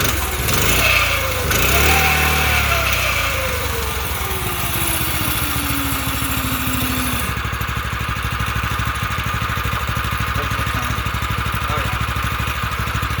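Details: Mini bike with a freshly swapped 212 single-cylinder engine, on its first start with no choke. It starts on one pull, revs drop smoothly and it settles into a steady, even idle with no misses. Normal idle.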